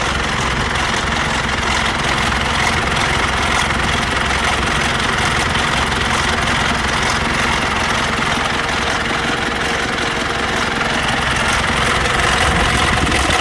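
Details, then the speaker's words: 2008 Mitsubishi Pajero Full 3.2 diesel at idle just after start: uneven, intermittent rubbing rattle about two or three beats a second from the timing chain; chain rubbing, timing chain kit to be replaced. "pessoal como vocês podem ver aí ela tá fazendo barulho aí na corrente vê que não é um barulho contínuo é um barulho da corrente roçando né ela passa roça para roça tá vendo"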